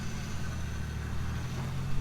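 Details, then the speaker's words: 1JZ-swapped Toyota Cressida running again after reassembly: steady rough idle drone with a faint whirring note over it; power steering pump sounds awful. Cause suspected, not confirmed. "power steering pump sounds awful it sounds absolutely awful"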